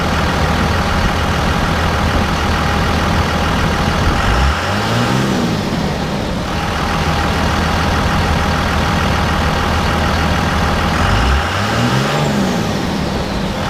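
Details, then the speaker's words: 2001 24-valve Cummins diesel with HY35 turbo after fitting a Banks cold air intake: deep rumble revs up twice, each with a clear rising turbo whistle above it, noticeably louder than the stock intake; healthy turbo spooling normally. "so for me that is a very clear noticeable difference from the stock intake to the banks coder intake with the turbo whistle guys"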